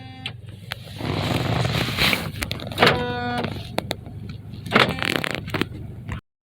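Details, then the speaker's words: 2018 Honda Accord: pressing lock/unlock gives short electric buzzes with lock clicks on the left side; cause is the failing fuel door lock actuator, to be replaced. "18 honda accord which i said when i hit my locker unlock button i get a buzzing noise on the left side see if you hear it"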